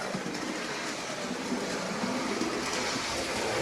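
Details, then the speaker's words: Apparently new Bachmann OO gauge Midland 1P 0-4-4 tank engine, start of running in on the outer circuit at about 50% power: light, even whirr with soft rail clicks, no grinding or stutter; smooth and quiet. "So far he seems quite smooth and quiet."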